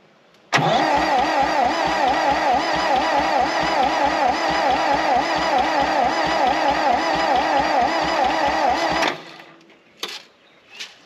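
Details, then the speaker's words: 1960 John Deere 1010 backhoe gas engine during rebuild, cranking on carb cleaner/starting fluid with a makeshift fuel setup: starter grinds evenly at about two pulses a second for eight seconds with no firing; cranks but won't start, no spark. "all right I guess we have no spark and my fuel setup's kind of janky but um I'm gonna try to give it some carb cleaner and then crank it see what happens starting fluid"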